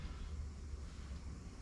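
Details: Old Rheem gas furnace with newly replaced blower motor, fan now turning the correct direction: steady low rumble and whoosh of moving air without knocks, rubbing or wobble; normal blower run.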